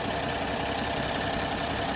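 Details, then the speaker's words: 2025 Ram 1500 Rebel, twin-turbo inline-6 (SST, 420 hp), 2,500 miles, no check engine light: harsh, uneven, lumpy stumbling idle under a steady roar with the engine visibly shaking; clear misfire. "there's no check engine light you can clearly hear it misfiring but if you want further proof let's just take a look at the engine"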